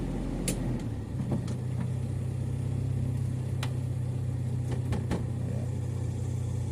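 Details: Revo with a 7K engine, reported for severe idle, non-working A/C idle-up and hard starting: a low, steady idle drone with slight wavering and occasional stray ticks. Rough idle, cause not identified.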